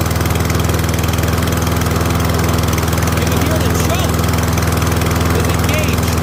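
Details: Free curb-find Troy-Bilt rear-wheel-drive mower, Briggs & Stratton Professional single-cylinder, after ultrasonic carb clean, first start on choke, slight oil leak from possible overfill: steady even low drone, no misses; normal cold-start running.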